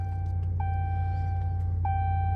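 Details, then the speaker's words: 2018 Dodge Ram 1500 after installing a new blower motor: steady low fan whoosh with a faint tone, no rattle, squeal or ticking; a big improvement over the old squealing motor. "All right, so let's hear how the new blower motor sounds."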